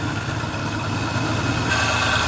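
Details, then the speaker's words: Overheating vehicle whose cooling system held only water, idling while warming up: steady even idle with a constant rush of fan air, no rattle or scrape. Fan works perfectly; radiator clog and bad cap were found. "Okay, it's running. The fan looks pretty good. It's blowing good. Okay, so the fan is working perfect."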